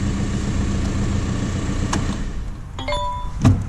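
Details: 2006 VW Golf 1.9 TDI BKC after correcting out-of-time cam timing (P0341, extended crank) with a master timing tool: starts first go, steady even diesel idle, smooth low rumble, no knocks or misses; fix confirmed.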